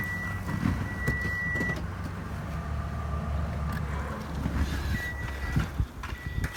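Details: Toyota Camry 50 2.5 petrol engine at a smooth, even idle with a steady low hum and no knocking under load, after balance shaft replacement cured the knock and vibration at idle under load.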